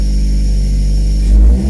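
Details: Toyota MR2 just started after a fuel tank system fix, in neutral: loud, boomy low drone swelling as the engine is blipped, too deep to be normal; owner suspects an exhaust leak, with smoke and steam seen.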